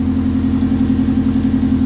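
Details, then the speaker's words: Subaru Legacy flat-four after single TD04 turbo conversion (7psi wastegate), full open downpipe, first start: steady, even idle with deep burbling exhaust, no knocks or ticks; runs cleanly, sounds like a Forester. "sounds like a Forester it exactly like a Forester"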